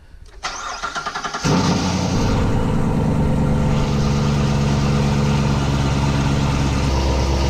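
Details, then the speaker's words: C7 Corvette V8, first start after an MSD intake manifold install, not yet tuned. A few quick cranks, then a deep, steady, even idle with no misses or ticking. Normal start-up. "Very nice. Everything's running smooth and good."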